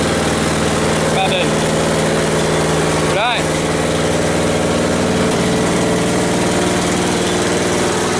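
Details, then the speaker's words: Westwood T1200 garden tractor out of winter storage, started first time: small single engine putters at even steady idle about four beats a second, no stumbles or knocks; normal healthy idle. "no that's it just started first time just got a little bit you're very sweet little engine"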